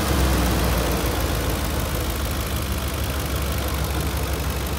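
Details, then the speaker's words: 2004 Ford 5.4L 3-valve V8 truck, 160,000 miles, startup after replacing the complete timing set with a Cloyes VVT cam phaser kit: it catches and settles into a steady low idle with no chain rattle or top-end ticking. Normal idle. "all right all components have been replaced timing set BB tees we're now doing a startup to make sure there's no rattle and no codes thrown"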